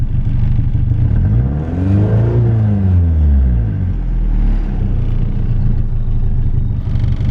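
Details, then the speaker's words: Nissan 240SX S13 after replacing spark plugs, following bogging misfire (cylinder one suspected): engine revs cleanly and drops back smoothly, no stumble or hesitation; normal revving after repair. "i just went ahead and threw the spark plugs away and i can tell you right now from the bat like it sounds a lot better than how it was yesterday"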